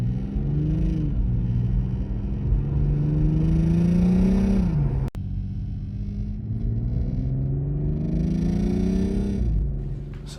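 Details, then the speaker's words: BMW M340i: deep exhaust rumble rising with revs with a faint buzzy rattle riding on it under load, occurring only in Sport Plus mode; a loose interior dash trim cover vibrating. "yeah as you can see it was super annoying Rattle and it really only happened in Sport Plus which was weird but here's what's going to happen so this cover right here something in here is rattling"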